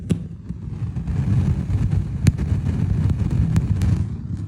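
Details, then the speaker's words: Harman Kardon 300B receiver, one speaker, phono mode only: breathy rushing wind-like roar, worst at turn-on then quieting but still present; other inputs silent. "so one speaker is making like a wind noise as if if a microphone was in the wind"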